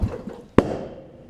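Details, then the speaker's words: Murray riding mower, almost 20 years old, running smoothly at low rpm. At switch-off, a few soft pulses and a pause are followed by one sharp exhaust pop, unburnt fuel burning in the muffler. The muffler is not clogged, and this is a minor, typical Murray quirk. "Again, that's a very minor thing. It's only just burning that unburnt fuel in there."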